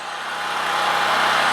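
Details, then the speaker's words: New Harbor Freight Predator 4375/3500 W generator, 6.5 HP 212cc, just after first start as choke is eased off: steady, even engine drone building slightly, no knocks or misses; runs smoothly, left to run five minutes before loading. "I mean first pull first start that's pretty good sounds like it's running really well"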